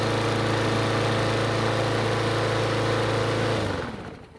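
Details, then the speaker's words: Yard Machines mower single-cylinder engine starts and runs as a steady, fast, high-pitched drone with no hunting, then winds down. It is overspeeding; the governor spring anchor needs adjusting to lower engine speed. "so the good news is that the engine started and ran but the bad news is that the engine is running a bit too fast"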